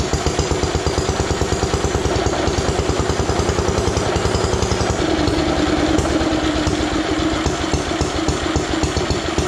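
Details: Ronaldson & Tippett stationary engine, owned about 25 years, first heard running after cleanup, started with a drill on a homemade crank: slow even chuffing with steady low thump each firing stroke, no knocks or misses; running healthy.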